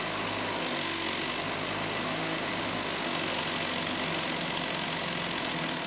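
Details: STIHL 028 AV Super chainsaw, rebuilt with non-OEM parts after being run on straight gas: high, buzzy, fast-revving rasp with little low-end body, running lean; opening the low-speed jet a bit made it sound a little better.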